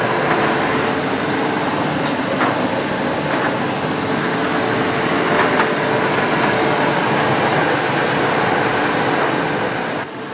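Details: Ariston 8 kg Class A tumble dryer after replacing motor bearings, tested with wet cloths: even whoosh of air, faint steady hum and soft drum tumbling, no grinding or squeal; runs normally.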